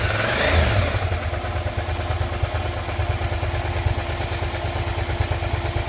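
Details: 2003 Suzuki SV650S (SK3) V-twin run after 5 years laid up, with tank treated, new oil, plugs, coolant and battery, started first time: a brief blip, then idle with a loose uneven knocking clatter; owner asks if it's normal.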